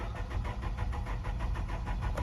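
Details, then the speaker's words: 2013 or 2014 Nissan Altima 2.5 cranks steadily with an even starter chug but never catches; check engine light on with fuel level/FTT sensor circuit codes; no fuel delivered because the wrong fuel pump was fitted. "Okay, it cranks but does not start. The motor turns over,"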